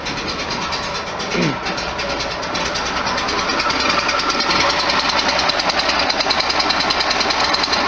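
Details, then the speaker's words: 1973 VW Super Beetle air-cooled engine, cold start in neutral with no throttle: steady chuffing idle with slight rhythmic shake and lots of vibration while cold; normal cold idle that smooths once warm. "Alright, I'm in neutral. And it's chugging, so I got the wires plugged up right. So I'm not putting my foot on the gas or anything. It's just a cold start."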